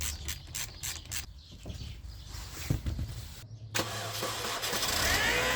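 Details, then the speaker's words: Mini Cooper S R53 engine before preventive tensioner replacement: catches and settles into steady idle with a faint light rattle on the right side of the engine; worn timing chain tensioner wear pad. "The timing chain tensioner is a wear pad that can be heard on these engines when it's not working properly. You can hear a slight rattling noise on the right side of the engine."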